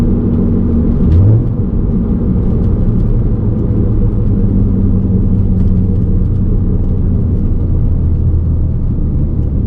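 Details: VW Golf MK5 R32 driving at constant speed: a steady low drone under the road noise. Wheel hub bearing rumble.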